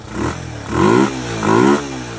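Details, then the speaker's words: 1981 Yamaha SR185 single-cylinder after replacing faulty TCI with Ignitech, aftermarket carb: revs climb in two quick pulls with a brief minor bog; crisp acceleration, previously very boggy from weak spark. "It's never accelerated like this before. It was very boggy before. definite improvement."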